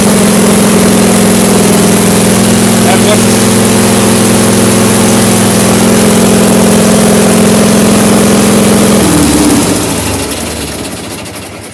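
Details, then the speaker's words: Case 446 garden tractor with 60-inch deck, electric fuel pump under footrest, running: loud, steady drone at constant pitch for about nine seconds, then winds down and stops cleanly; healthy, just noisy. "That's what she sounds like. Yeah, that is really loud. That's not too bad. Could be worse."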